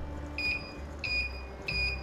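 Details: Cold-plasma device with argon, arc detection within a 900 ms window: three short high beeps about two-thirds of a second apart over a faint hum, signalling each arc contact, then stopping.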